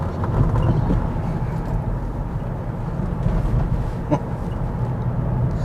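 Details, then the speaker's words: 370k-mile Volvo V70 five-cylinder ("5-pot") with 5-speed gearbox, driving after owner servicing and induction/EGR work: steady, low, even hum with no misses or knocks; normal running. "And listen to that 5-pot. That's a nice sound."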